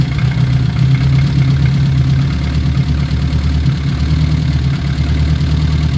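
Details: Old Austin Mini Cooper with Lucas/MSD ignition, just after first start following a no-start: deep, uneven, lumpy idle with no steady beat while timing is being set; distributor and fuel adjustment later made it sound good.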